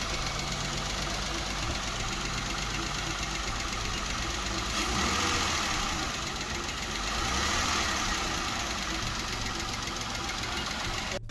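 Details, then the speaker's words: Jeep Wrangler 3.6 petrol V6, manual: fairly quiet at idle, but with revs raised a fast clatter of about four ticks a second; worn hydraulic lifters and rocker arms, which chew out the camshaft. "what you can hear right now is the hydraulic lifters. This is a common problem with the 3.6 petrol engine. It's the lifters and the rocker arms, and they chew out the camshafts."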